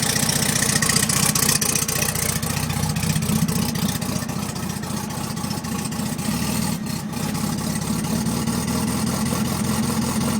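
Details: VW Beetle air-cooled flat-four idling unevenly with a lumpy, stumbling beat and occasional dropped pulses; rough running, misfire at idle.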